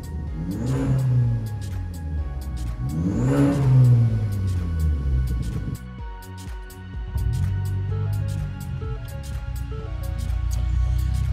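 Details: 2016 Ford Focus ST 2.0 auction car bought with no turbo boost, started after repair work, turbo primed by cranking with coil packs disconnected; two clean rev rises and falls then steady idle, no turbo whistle or flutter, normal revving.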